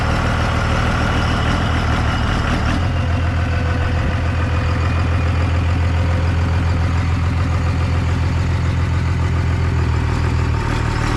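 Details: 1998 Dodge Ram 2nd-gen Cummins diesel, first run after the owner fixed his problems, on temporary power and no coolant: steady, even idle clatter with a firm low rumble, oil pressure and charging, no knocks or misses; normal idle.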